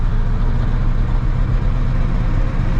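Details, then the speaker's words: Squarebody Chevrolet C20 truck after sitting for years, driving in low (granny) gear under light load: deep uneven V8 lope and stumble, smokes, shifts poorly, sounds like it's running on seven cylinders. "it does smoke a little as you can see not running perfect still but it at least cruises down the road not too shabby overall"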